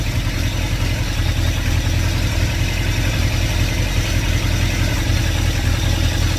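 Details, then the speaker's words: 2110cc VW engine for a 1979 Super Beetle with Empi HPMX 44IDF carburetors and a 123 Bluetooth distributor, fuel pump switched off to run the carbs dry. Steady low drone turning uneven as the engine starts to stumble from fuel starvation. "So shut the fuel pump off, and we will run it out of fuel. Already starting to hear it. I start to see it stumble around a little bit."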